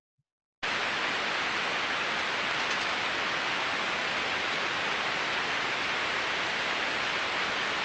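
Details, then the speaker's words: Ultrasound recording of one of seven healthy bearings that read zero decibels but were audible in headphones, about six months into service: steady, smooth, uniform hiss with no clicks, crackle or impacting over 15 seconds. "so again smooth and uniform so that was what we would want to hear and to be honest after six months that's what I would expect to hear"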